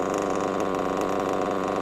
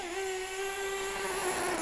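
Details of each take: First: A lovely Reds WR7 Diamond Edition engine running an absolute treat inside a Mugen MBX6T whatever it's called. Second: Mugen MBX6T nitro truggy running on 20% nitro fuel while warming up: a steady, soft, muffled buzz with no crisp edge. The mixture is set far too rich.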